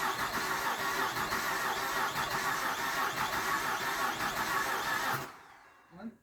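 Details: 2010 Ford Fusion 3.0 Duratec after block and 6F35 transmission swap, first start: starter cranks steadily about five seconds without firing; oil had got past the rings.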